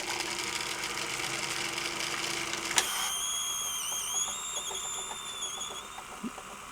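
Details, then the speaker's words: Sanyo VTC-M40 Beta HiFi video recorder, powered via isolation transformer during fault repair: hissy motor hum, then a clean whirring whine with slowly wavering pitch; tape transport runs mechanically, a bit noisy but working. "Little noisy, but that's working."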